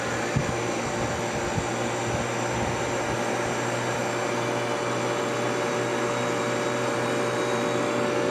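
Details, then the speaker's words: Kenmore dehumidifier that wouldn't start properly, now with two 15 μF start capacitors wired in parallel (30 μF): starts easily and runs normally with steady compressor hum and even fan rush, confirming a bad capacitor. "yeah right where she needs to be that's kind of a cool day again"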